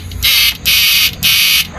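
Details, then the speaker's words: Old-model 99900 W inverter under repair: harsh frog-like buzzing croak in bursts about every half second, a rough pulsing output. A faulty resistor was then found. "Parang parang palaka. Parang palaka ang tunog."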